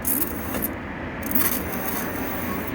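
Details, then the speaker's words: Brand new e-bike kit hub motor under throttle: rough, uneven scraping rub with faint creaky squeaks from inside the wheel, as if something is running inside; cause unknown to owner. "When I put pressure and I press this throttle, it makes a screeching sound, a running sound in the wheel. So that sound is coming from this wheel."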